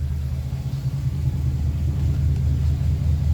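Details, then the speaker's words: Restored 1956 Ford Victoria V8 with 47,000 miles on the odometer, pre-purchase inspection; deep steady idle rumble, even beat about two per second, no smoke, misses or knocks: normal idle. "now we're running runs nice and smooth idles well see no signs of smoke or any issues it sounds nice"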